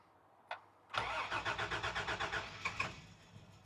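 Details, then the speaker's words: 1989 Toyota Land Cruiser FJ62 barn find, sat about 8 years, with nine gallons of fuel added: starter cranks at about four turns a second, fires a couple of times, then dies. Owner suspects leftover starting fluid caused the near start. "Oh, dang. Did you hear that? That time it almost started. Might have just been leftover starting fluid."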